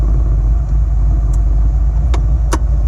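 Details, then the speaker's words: 1934 Ford 3-window coupe, 383 small-block, Turbo 350, Ford 9-inch 3.73 gears, heard riding inside while driving: low drivetrain rumble with sharp irregular crunches; rear differential sounds loose and worn, suspected not confirmed. "That. That's the differential. That sounds loose. Does that sound loose? Yeah."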